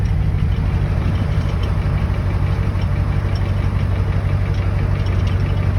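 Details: 7.3 Power Stroke diesel truck cold start after sitting about 2 weeks in cold weather, glow plugs cycled about 3 times: loud, deep idle with steady low clatter about four beats a second; normal cold idle.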